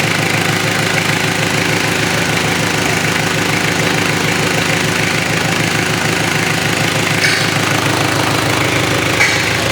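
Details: Mitsubishi Triton 4M40 diesel engine after overhaul: even, steady diesel clatter at idle with a regular beat and no knocks or misses; normal healthy idle.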